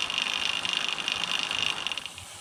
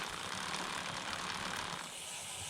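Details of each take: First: A comparison of the idler cog noise on a DIY - home built carbon fiber recumbent bike. Removing the chain keeper from the idler greatly reduced the noise. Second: DIY carbon fiber recumbent bike, chain in 11 rear and 39 front cog, recorded one hand length from the idler with chain keeper removed: soft, even hiss and faint ticking, much quieter than with keeper.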